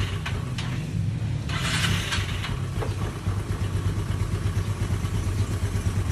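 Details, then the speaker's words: Rebuilt Yamaha Fino scooter engine after carburetor plastic cover removed and wild-revving throttle cable disconnected: low, even idle putter with no knocks, rattles or hunting; engine running smoothly and healthy. "So paandarin natin para makita nyo kung all goods na ba yung motor."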